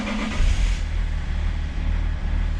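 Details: BMW 730d after fuel tank pump replacement, which cured stalling previously blamed on the ECU: deep, even low diesel rumble with no misses or knocks, running normally over faint outdoor background.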